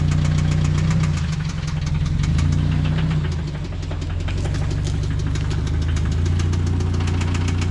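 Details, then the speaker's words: Subaru BRZ swapped engine (bought on Facebook Marketplace), first start after install: heavy, regular deep knocking about three to four a second over idle, never letting up, sounds like a diesel; definitely a bad knock, worn rod bearing. "right give it a little wrap that's definitely a knock huh I said yeah it's a bad one"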